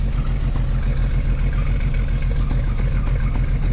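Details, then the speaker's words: 1995 Jeep Cherokee XJ, rebuilt 30-year-old engine, heard at the tailpipe at idle: low uneven exhaust chuff with recurring pop as one cylinder misses, exhaust rattling underneath; running on five cylinders, misfire and hesitation on acceleration, cause unconfirmed. "All right, so we're gonna come back here to the exhaust. I'm gonna put my hand down there by it and you can hear it missing."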